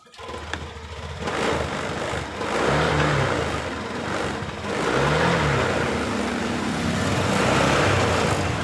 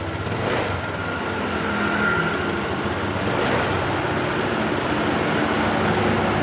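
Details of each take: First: Honda Beat LED Deluxe scooter with a code 7 history. Engine starts and revs, but the note wavers and stumbles ("brebet") at initial throttle, sometimes normal. Sputtering with the cause unconfirmed; the EOT sensor is suspected before scanner checks. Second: Honda Beat LED Deluxe scooter, fuel-injected, after clearing code 7 DTC (EOT sensor socket suspected loose): even, low steady idle without stumbles or misses, street noise behind; engine now idling normally.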